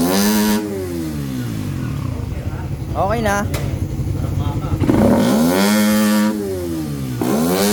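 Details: Motorcycle that would not start, now fixed after troubleshooting electrical, fuel and compression; the cause was corrosion. Engine picks up cleanly on each blip, sweeping up and settling to a steady idle without misses; runs properly.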